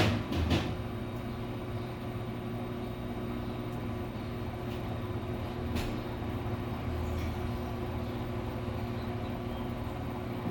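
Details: Samsung washer-dryer after the owner replaced both shock absorbers to cure noise and jumping, tested on a 15-minute spin cycle: steady low hum and faint motor tone, no banging or thumping, a normal quiet spin.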